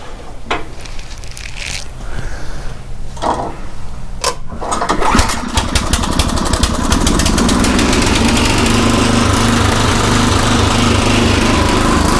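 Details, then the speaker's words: Craftsman rototiller single-cylinder after tune-up with a new aftermarket carburetor, idle screw raised, mixture set about 1–1.25 turns in from original; a few pulls, then it catches and settles into a steady, even putter without surging, running much better. "so yeah it's running a whole lot better um i think i pretty happy with it"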